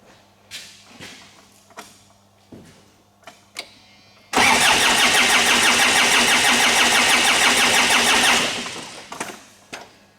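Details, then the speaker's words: 2009–2010 Ford Ranger (Mazda BT-50) 3.0 L common-rail turbo diesel, injector return pipe removed: even cranking with no firing; no fuel at all comes from the return line, and the rail is not building fuel pressure. "And I see no fuel at all. This is pretty dry here. It's not making up there the fuel pressure."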